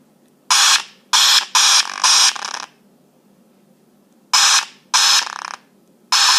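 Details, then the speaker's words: iPhone 5s speaker putting out loud, harsh hissing bursts of about half a second, in irregular groups, when typing or sending a text; it also happens on receiving texts or playing music. It started an hour earlier and a restart didn't help; it later stopped after a phone reset. "So ever since about an hour ago, whenever I try to send or type a text, it does this instead."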